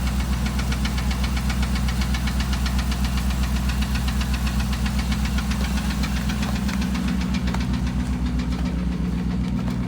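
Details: 2008 Dodge Ram 1500, 5.7 Hemi V8 at idle: a steady, regular knock of about four beats a second. Five mechanics couldn't identify it and said it needs a new engine.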